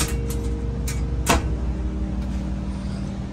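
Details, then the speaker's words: Trane XV95 propane furnace after transformer replacement following a power surge, running in cool mode set to 55 with the fan on auto. Low, steady blower hum with a few handling knocks; the blower runs smoothly and the system works. "give it a second see if we hear anything and it turned on I don't know if you guys can hear it let's go back in the furnace room to make sure problem solved system is up and running"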